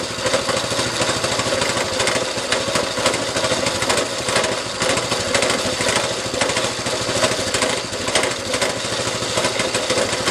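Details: A small single-cylinder go-kart engine, restored, run on a quick ride with the newly hooked-up throttle; fast, crackly putter at a fairly steady pace with small throttle blips — normal running.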